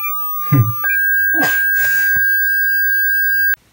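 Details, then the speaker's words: Double Dragon JAMMA arcade board with no sound; a 1.2 kHz signal-generator tone fed to the amplifier input: steady, clean mid-pitch tone through the speakers for about three seconds. Normal amplifier output; fault lies upstream in the sound circuitry. "okay so as you can hear the one point two kilo head signals our code to the speakers so the m50 working phone"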